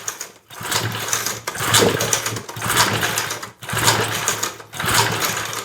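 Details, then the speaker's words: 1970s Hahn Eclipse tiller, 3.5 hp flathead Briggs & Stratton, unrun for years, compression gauge read zero, starting fluid added: repeated pull-cord cranking bursts about once a second, never fires; suspected bigger issues than the carburetor. "Nothing. Might have bigger issues than just the carburetor."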